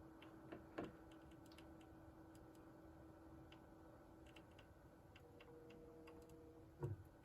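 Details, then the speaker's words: PC with first motherboard (AMD FX-8320) and liquid cooler: faint irregular light ticks and crinkles over steady low hum; cooler pump ticking. "The board's making, like, crinkling sounds. I think it's the pump."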